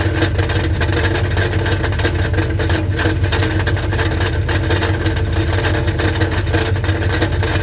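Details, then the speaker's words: 1984 Dodge Ram Prospector 3/4-ton, 360ci V8, automatic, idling with an uneven metallic rattle of about three per second. Checked with a stethoscope at the oil pan and the newly reconditioned starter, it seems to come from inside the oil pan. The starter is to be pulled first. "bad news is honestly it sounds like it's coming from inside the oil pan"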